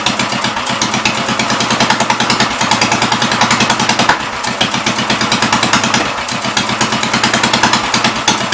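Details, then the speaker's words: 1944 tractor, model L, with bad fuel and water in the carburetor: quick, sharp, fairly even firing at fast idle with no misses, but it runs only on priming, not on its own fuel supply; carburetor suspect. "I don't get why it's not running on a fuel though. Making no sense to me. No sense at all."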